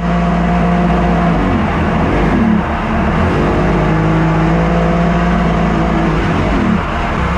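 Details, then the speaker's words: Jet-ski-powered mini aluminum jet boat on its first test ride after swapping a 63 hp engine for a 120 hp 1100 Kawasaki triple: on the water it drones with pitch sagging and wavering under load, running terribly, yet runs fine on the trailer hose; cause unknown. "it's like it runs fine on the hose but you saw when I was out there it was terrible it is a Kawasaki after all"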